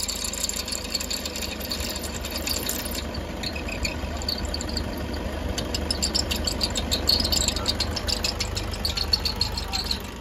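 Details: Toyota HiAce diesel idling with a fine, fast high-pitched ticking and hiss over the engine; worn alternator brushes and idler bearing noise.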